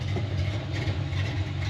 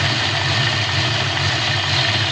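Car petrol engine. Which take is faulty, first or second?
second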